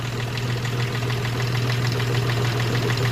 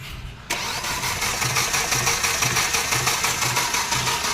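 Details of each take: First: Hyundai Xcent engine at idle after timing chain work, head gasket and valve lapping, and injector servicing (injectors 1 and 3 had excess return): steady, even idle with no knocking or tapping; normal idle. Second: Hyundai Xcent engine running rough, with a heavy uneven thump about twice a second over a harsh clatter. Bad valves or timing chain were suspected; teardown found the timing gear and chain badly damaged.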